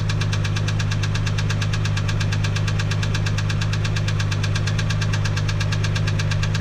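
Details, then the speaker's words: 1987 MK3 Supra Turbo Targa at idle: loud, regular, heavy knocking about two per second that sounds terrible. It seems to come from the left valve cover area, which is to be removed to look for something loose; rod knock suspected, not confirmed. "I can distinctly hear the sound coming from here. I want to stay inside the left valve cover."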